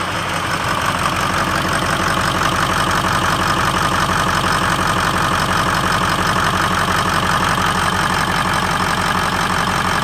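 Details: 2003 Ford F-250 6.0L Powerstroke diesel at idle after startup: steady idle with a rhythmic uneven pulse about three per second that never smooths out; suspected misfire or rough running, cause unconfirmed.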